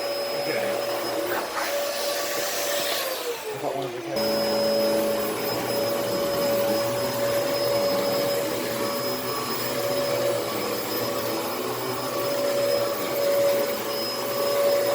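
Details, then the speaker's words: Early Dyson DC14 All Floors vacuum: motor spins up and holds a smooth, steady whine with no surging; fault was a filter latch out of place, brush roll still slightly weak. "so it appears that filter latch being out of place was the issue"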